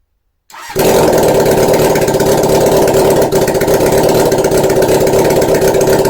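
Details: 1981 Honda CB750 with simplified wiring: catches straight away and settles into a steady, even idle with a smooth exhaust pulse; runs properly.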